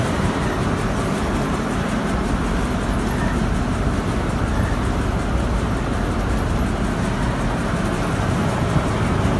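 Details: Petkus K527 seed cleaner after a major overhaul, running normally: an even, steady rushing drone with no knocks, squeals or surges.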